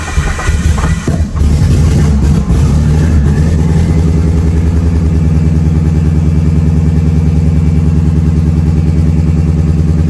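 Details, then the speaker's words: Big-turbo Mitsubishi Evo on the dyno, another start after tune setup for the injectors: lumpy, uneven idle with repeating stumble and loping beat after a rough catch, misfiring; tuner unsure whether factory coil packs cause it, finding points to a stuck injector. "So, the car's misfiring. Um, I don't know if this coil pack related."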